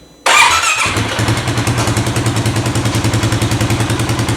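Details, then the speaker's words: 2018 Polaris Sportsman ACE 570 after a timing chain replacement: engine catches into a fast, even idle with a high-pitched metallic rattle from the lower end near the water pump; the oil pump chain is very loose. "here I got it you hear that high pitched rattle I if you can hear it I can hear it and I swear it's coming from right there"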